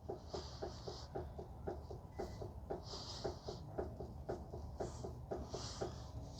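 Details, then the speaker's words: 2006 Mazda 3 2.0, about 331,000 miles, right front inner tie rod exposed and rocked by hand: light uneven clicks about three a second revealing free play; loose inner tie rod joint. "So now we have exposed the inner tie rod and you can see and hear the play as as you pull it."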